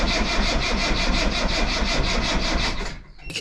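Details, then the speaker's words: Rover P6 V8 on a jump pack after alternator swap: steady starter churn under three pulses a second, never firing; fuel starvation, gauge reads almost nothing and the mechanical fuel pump's glass bowl has no petrol. "it doesn't really matter how good the battery and the fuel pump is if there's no actual fuel in the car uh that's registering pretty much nothing"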